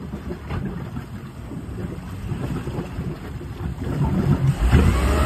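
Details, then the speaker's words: Jasper 4.3 marine engine in a test tank, in gear: low rumble stumbles unevenly until the throttle is feathered, then it takes off. Hesitation is blamed on a carburetor needing a rebuild; it stayed running in neutral. "he's having to feather the throttle a little bit to get it going once he does that it takes off"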